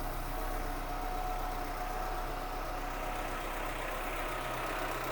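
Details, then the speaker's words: Suzuki Santana engine-swapped, naturally aspirated, new MaxxECU management and in-tank 250 L/h fuel pump, just started: steady, even idle with a smooth low drone, no knocks, misses or whines; runs beautifully. "Et ce moteur qui tourne magnifiquement bien."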